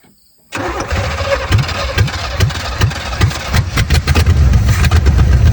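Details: 1970 Chevrolet Chevelle, first run after sitting since 1995, carburetor float freed: loping, uneven chuff about two or three a second, never smoothing out; ignition timing still well off, being adjusted.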